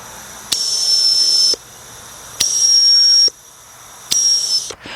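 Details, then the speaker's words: GM EVAP purge valve (Buick/Cadillac/Chevy family), code P0496, car stalls when refueling; air blown through the valve switched closed with a Power Probe gives three one-second bursts of steady high hiss, still flowing; leaking when closed. "so at this close State this thing is still open so this thing is still sucking in sucking in uh fumes and gas this valve is definitely no good and this will affect your gas mileage"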